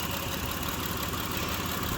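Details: 2006 Mitsubishi Pajero 3.8 V6 with individual coils, code P0304, hard start that morning: slightly uneven, stumbling idle from a single-cylinder misfire.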